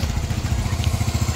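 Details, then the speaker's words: Sol-I engine that was burning oil: steady even idle thump, no rattle; loud clatter gone, scanner parameters normal, no fault codes. "Yan, so okay na yung tunog ng makina ng Sol-I ni Pops. So kanina may may kalansing lagatik na malakas, hindi ko lang kasi na-record."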